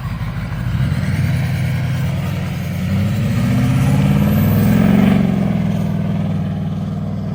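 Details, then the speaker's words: Duramax diesel with a fried injector and low fuel rail pressure codes, revving higher after the codes were cleared; revs up and drops back under load with an uneven, lumpy beat: misfire from failed injector. "there's like six codes we cleared them all out and it's actually seemed like it's got a lot more power now I mean injector's still pretty much fried"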